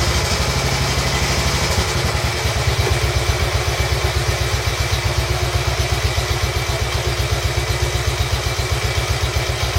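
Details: Royal Enfield Bullet 350 Classic first start after partial seizure repair, cylinder hone, new rings, decoke, head torque, valve clearances and carb clean; backfired through carb with choke off, now steady thumping idle about four beats a second with light top-end clatter, needs fine tuning.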